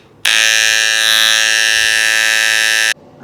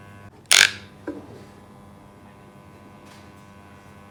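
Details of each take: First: Hair clipper: harsh steady high buzz at constant pitch for about three seconds, louder and rougher than normal; cause suspected, not confirmed. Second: Electric hair clipper, reportedly loud before repair, test run after the fix: steady, even buzz, broken only by a few sharp handling clicks; normal running.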